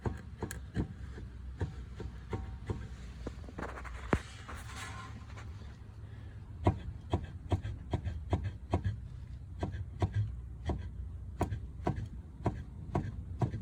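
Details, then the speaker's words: 2017 Volkswagen Polo, steering rack levered back and forth with a pry bar and stick: sharp, irregular dull knocks, roughly one or two a second, clearly audible; worn steering rack knocking. "дубль 43 стук реки теперь другой способ найти стук Монтировка и палка [смех] чётко слышно"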